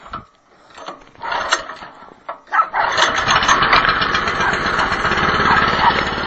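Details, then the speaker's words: Cheap Chinese snow blower cold start with choke on and about an eighth throttle: a few recoil pulls, then the small engine catches and settles into an even, steady buzz; clean, healthy cold start. "so first thing we do is turn it on choke about an eighth of throttle and usually it starts on the first or second Pole"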